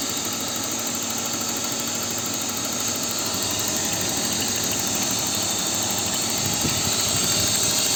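Even idle with a light, quick tick around three per second in the upper range; a top-end tick, cause not pinned down. Cause suspected, not confirmed.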